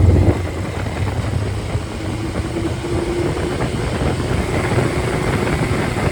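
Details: Freshly rebuilt 1500 four-cylinder engine (labelled MG Midget, also called Triumph Spitfire), 270 cam, 9.5:1 compression, 195–205 psi: smooth, even drone with a deep steady note, no ticking or knocking; running cleanly.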